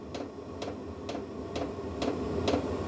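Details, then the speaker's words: New VEVOR diesel heater restarted after error 10 (check whether the oil circuit is blocked): sharp ticks about two per second as the dosing pump pulses while it tries to light; it then speeds up and begins producing heat. "I've just started it up again to see if it actually works this time. Sounds like it's trying to start. It's trying to start. You can hear it trying to start."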